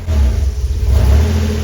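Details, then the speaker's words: DeLorean DMC-12 with Bosch K-Jetronic, pre-warmed: on a throttle blip it revs, then bogs and stumbles on the return, with black smoke from the pipes; the fuel-metering plate pin is gummed with tar and sticking. Rich bog on throttle blip. "We could hear that throttle response is absolutely terrible. Terrible bog on the return and black smoke showing a rich condition coming out the pipes. Not good."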